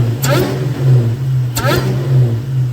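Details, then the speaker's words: Supercharged Ford SVT Cobra V8, warm, after swapping a twin 65mm throttle body for a single-blade throttle body to cure jerky acceleration: deep idle with two clean throttle blips and rising blower whine; smooth throttle response. "but the throttle response is already much smoother, and it just feels a lot better."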